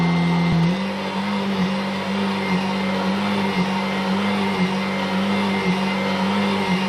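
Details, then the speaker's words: Kirby G7 vacuum Tech Drive self-propelled drive demonstrated as normal: even motor hum with a steady low drone that dips briefly on direction change; runs slightly slower than the G6, smooth and healthy. "also you can see from that quick demonstration that the G6 it just runs a little bit quicker compared to the G7 like I said Kirby slowed the tech drive down with the gearage and they did change the belt"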